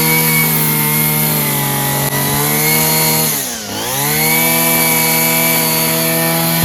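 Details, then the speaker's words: Free Homelite string trimmer, two-stroke, fixed by adjusting the carburetor mixture and idle screws (carb not cleaned), revved up: steady high-pitched scream at full throttle, dips briefly and climbs straight back without bogging, running clean and healthy. "Don't you just love the easy fixes? So now that we've heard this, it actually sounds pretty good."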